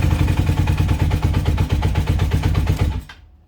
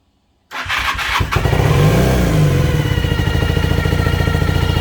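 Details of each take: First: 1980 Honda CB400N after spraying lithium grease into the tachometer gears: engine idles with a steady even thump, and the earlier tachometer whine/squeal is gone. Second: Cold 1980 Honda CB400N starting and idling with a steady, high, horrific squeal from the tachometer despite a new tach cable. The planned fix is spraying lithium grease into the tach.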